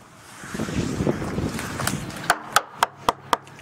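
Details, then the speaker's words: Used sailboat rudder tapped by a surveyor: sharp taps about four a second sound flat and dull rather than hollow and ringing, showing skin-to-core separation with water inside; crazing is visible in the bottom paint. "That sounds kind of dull. That's skin to core separation. Okay. And that means there's water in here."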